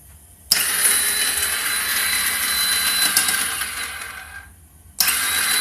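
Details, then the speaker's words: 2009 Kawasaki Ninja 250R in neutral with clutch in, battery checked, fuel in tank, headlights not coming on: long four-second crank with a thin, even whir, then another try; spins but never fires. "it's in neutral and everything and when you try to start it that's basically what happens even with the clutch in and everything still won't start"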